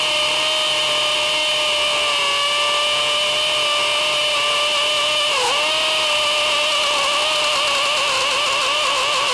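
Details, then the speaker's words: DeWALT DCD999N cordless brushless hammer drill in gear 3 with 25 mm rotary hammer bit, 1.7 Ah PowerStack battery, drilling 20+ cm K250 concrete: steady high motor whine with fast hammering rattle, pitch sagging under load; normal hammer action. "uh dari suaranya aja itu impactnya sangat-sangat Berasa ya"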